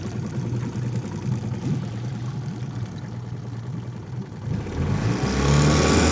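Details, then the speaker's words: 15 HP four-stroke outboard, warmed up after about five minutes of running: runs fine at moderate RPM but stumbles unevenly, about three pulses a second, and surges when throttled higher; misfire at high RPM, cause unknown. "So at this RPM, seems to run fine. If I give it any more throttle, it does that. Weird."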